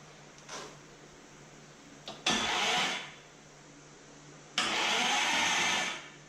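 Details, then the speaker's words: 1973 Dodge Dart with Gen 3 Hemi, big block Mopar gear-reduction starter on a home-made aluminium adapter plate, first test: two even, strong crank bursts, engine not firing; starter cranks normally. "It's cranking."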